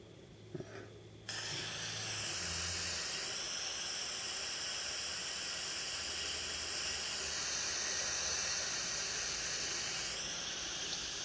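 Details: iPod Touch 4th gen 720p video recording with Wi-Fi turned off: steady hiss with a few gliding high tones but no regular ticking; the Wi-Fi card caused the clicking interference.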